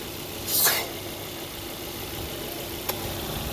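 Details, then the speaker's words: 2006 Volvo S40 at idle, engine light on: constant airy hiss over steady idle; torn PCV crankcase ventilation diaphragm behind oil filter housing sucking air, running extremely lean and forcing oil past the rear main seal, causing leak. "there's a diaphragm in there what happens is that diaphragm rips and then it's sucking all the air in which you heard right here"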